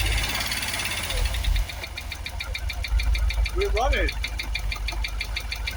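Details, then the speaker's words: Jaguar XKR supercharged V8 first start after replacing both fuel pumps: rough idle with uneven knocking from the supercharger area, bonnet vibrating, running on only seven or maybe six cylinders. "we're running it's got that noise in the supercharger definitely not running on eight cylinders"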